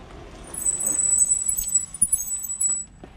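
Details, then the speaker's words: Fiido L3 e-bike factory mechanical disc brakes: high, steady squeal while braking that adjusting and cleaning didn't fix; later fixed by upgrading to Zoom DB680 dual-piston calipers and Tektro E10.11 pads. "the brakes they squeak people say they annoy me decided to upgrade them"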